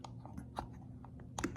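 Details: Holley carburetor from a stash, throttle shaft wiggled by hand: light, irregular clicks from a worn, sloppy shaft in its bores, which lets fuel leak out onto the intake.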